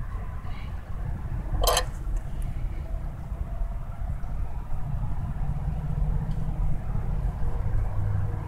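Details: 2000 Mazda Protege 1.6L petrol engine idling with a low, uneven rumble; rough idle caused by a bad ground cable.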